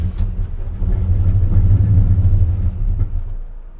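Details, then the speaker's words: 1978 Chevy C10 with a 383 crate V8 on self-tuning fuel injection, while driving: a deep, lumpy rumble that surges unevenly, then sags as if about to die. The engine reads running lean and has been hard to start. "too lean give it some fuel computer huh oh running pretty lean but that's something that should get better as i hope so"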